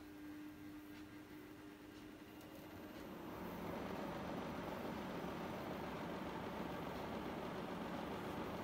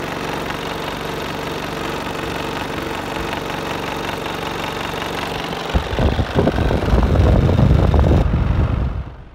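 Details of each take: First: Split air conditioner indoor unit after cleaning and fan motor bearing replacement: faint hum then steady even air whoosh with no rubbing, scraping or ticking; fan runs smoothly, noise gone. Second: Worn fan motor bearings in an LG split air conditioner indoor unit, heard before bearing replacement: a steady hum, then heavy uneven low rumbling and knocking that swells and fades.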